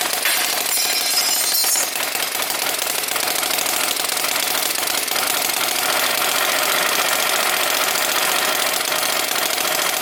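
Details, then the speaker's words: Small RC flathead engine with CDI ignition, primed and restarted: fast, even buzzing run with a steady water pump whir as coolant circulates through the pipes; no misses or knocks, normal running. "Sounds cool, huh? You can hear the water pump going on there."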